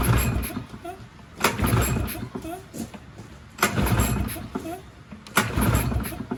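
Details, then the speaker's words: Push mower that sat six years with water in the engine, with a new spark plug fitted: pull-cord yanks about every two seconds, each a short sputtering whirr that dies away; cranks but won't start. "We'll see if it starts now. It's almost there. I might try some other things on it first."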